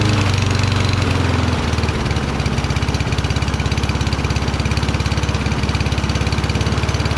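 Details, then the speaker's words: Toro Recycler mower, Kohler XT675, after cleaning debris from carburetor bowl and pilot jet: single cylinder firing slowly, about three and a half pops a second, slightly uneven; owner suspects throttle adjustment needed; low idle speed. "well at least it started rpm seemed very low i think i have to screw with throttle"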